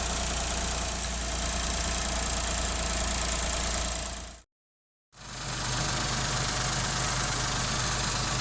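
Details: Engine after replacing a faulty water pump that had caused rattling, grinding noise and overheating. Now a quiet, even idle with a steady low hum and no rattle or grinding; almost unnoticeable.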